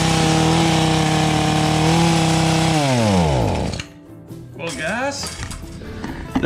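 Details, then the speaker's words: Echo HC150 gas hedge trimmer, small two-stroke, first start on cold-start setting after installing a cheap replacement carburetor: high steady buzzing drone never dropping to idle, then winds down; throttle not working well, stuck at high idle, needs adjusting down. "we got a little life going to it but unfortunately the throttle was not working well and we were doing a high and absolutely high idle so i got to take a look at that and see if i can get that adjusted down"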